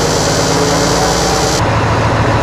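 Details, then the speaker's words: Class 1 truck pre-trip inspection, diesel at idle: air pressure built from 50 to 90 psi, and at 90 psi maximum the governor puts the compressor into the unloading stage, so the airy compressor rush cuts off sharply. Normal governor cut-out; the engine is then shut off. "we've reached 90 uh maximum pressure the governor put the compressor into the unloading stage we're going to shut off the engine"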